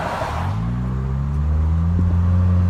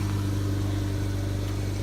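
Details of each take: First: 2013 Nissan Versa with exhaust snapped at the flange, before a temporary sleeve repair: loud raspy drone rising and falling with revs, exhaust escaping through the broken flange. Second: 2013 Nissan Versa after a temporary exhaust repair of a pipe snapped at the flange, using an adapter sleeve and clamps: smooth, steady low hum at idle with no blowing, puffing or rasping; exhaust sealed and quiet.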